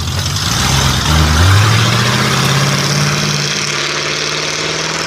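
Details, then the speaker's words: 1940 Ford Fordor sedan with small-block Chevy V8 and Turbo 350 automatic: throttle blip then strong even idle, no knocks or misses; runs really good, normal idle. "it's got a uh small block Chevy in it and a turbo 350 automatic oh man look at how nicely that cute small block fits in there and it runs really good"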